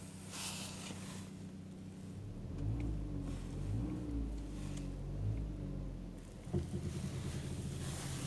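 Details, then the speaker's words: Chevrolet Cruze at idle with a low wavering groan as the steering is turned either way. A noise also occurs when accelerating; the cause is unknown. "Estece para um lado, barulho. Estece para o outro, barulho."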